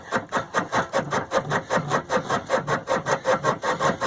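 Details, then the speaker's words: Penguin engine freed after sitting for years, turned by hand, still in gear: steady rasping scrape about two and a half times per second as rust on the magneto rotor makes contact; rotor to be removed. "And there the rotor is turning now. You can still hear that the, okay. Still rust making contact in there, and this rotor should come off and"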